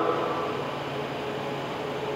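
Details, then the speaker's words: Comfort Zone 5000 W 220 V ceiling-mount garage heater, newly installed; smooth steady rush of air over a faint low hum with no rattle or scraping, fan running normally and blowing warm air. "I turn it on it's blowing warm air that's for sure kick it's blowing warm air"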